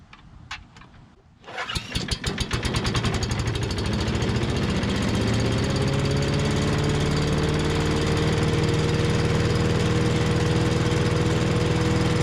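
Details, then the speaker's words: 5.5 hp Tecumseh engine on an MTD Yard Machines chipper/shredder after the carb fix, cold start. Hard recoil pulls, then it catches into a steady drone that holds under load chipping branches; it nearly stalled on a two-inch branch but mulched well. "all right well that was pretty awesome uh about stalled it out there on it was like a two inch branch normally these things are rated at like two to three inch branches but uh it looks like we got some pretty good mulch action there and handled it pretty good"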